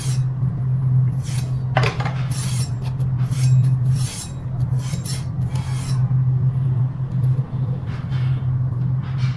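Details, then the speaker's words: Electric scooter with mechanical disc brake, wheel turning: steady low motor hum with recurring scraping rasps as the bent brake disc rubs the caliper. "Let's see, the brake disc is bent. It's bent, so we have to adjust it."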